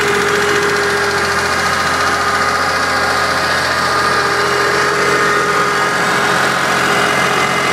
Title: Rod knock